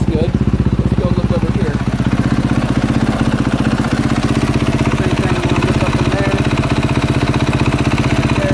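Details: 2022 KTM 450 SXF after transmission repair (5th gear had failed), warm idle during heat cycle while checked for oil and coolant leaks: steady, even single-cylinder thump about three beats a second, no knocks or rattles; normal.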